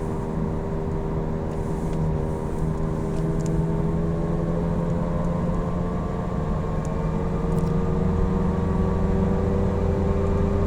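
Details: Falken FK510 tires: deep steady drone rising slightly with speed, no rhythmic knock; noisy tires humming on the road.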